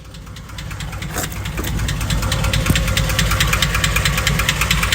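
V8 petrol engine idling with a steady, regular knocking tick, about two or three a second. Cause suspected, not confirmed.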